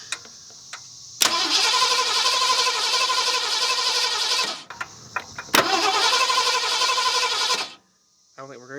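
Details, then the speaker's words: 1970 Ford Mustang V8, abandoned and unrun for many years: two long cranking bursts at about four compression beats a second, no catch or firing; cranks but won't start despite confirmed spark, timing unmarked; old plugs and wires suspected. "we know we're getting spark and you know the plug wires or the plugs themselves are probably not that great obviously they're not but man I figured it would do something"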